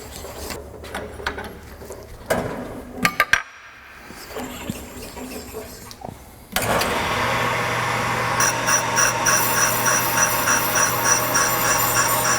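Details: 1998 Ford Contour brake rotor, causing pulsation, machined on a brake lathe: after some clatter, a steady hum with an even metallic cutting hiss. No chatter, a clean, normal light pass.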